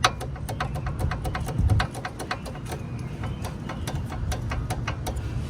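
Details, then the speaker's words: Quick sharp metallic clicks, several a second, when braking, as brake pads shift back and forth in the bracket because the hardware clips are worn; new clips fix it. "All right, so your clicking that you're hearing when you're braking is from your brake pads going forwards and backwards. They have too much play in them."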